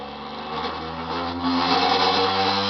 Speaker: Déjà, je vais l'arrêter parce qu'il y a un truc que j'ai mal mis. Elle tourne et elle ne devrait pas tourner.